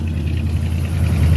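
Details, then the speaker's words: Chevy 350 V8 in a 1985 C20 Suburban, just started by screwdriver: steady even low burble with no misses, knocks or ticks; healthy smooth idle, runs like a champ. "Man, it runs like a champ. Go over here, open the door, turn the screwdriver, and this thing fires right up."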